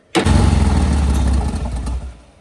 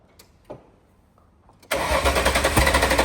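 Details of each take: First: VL Berlina turbo build being cranked after coil/lead changes and fuel-pressure worries: engine catches instantly and runs with a low rumble that eases off after a couple of seconds; it starts fine. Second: VL Berlina turbo build being started after coil/lead changes, fuel pressure in doubt: engine fires and runs unevenly, sharp pops about four a second over a ragged idle before dying; fuel pressure suspected, unconfirmed.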